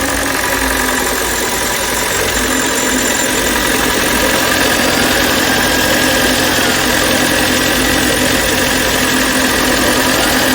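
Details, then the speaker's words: Kia K5 Hybrid with a P0301 code, in D, engine just started after motor-only running: fast, regular light tapping, three to four per second, over the idle; before repair, the mechanic blames poor engine oil, with spark plug gaps later found uneven. "엔진 소리가 어떻습니까? 딱딱딱딱 하는 소리 나죠? 엔진 오일이 좋지 못합니다."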